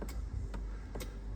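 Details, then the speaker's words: Only a few sharp relays clicking about half a second apart, with no starter spin or crank, on a water-damaged auction Volvo XC40 with front and rear damage and low coolant, just revived electrically with a programmed key; more faults are suspected, but ignition and diagnostics now work. "obviously we hear relays clicking it looks like there's there's more to it"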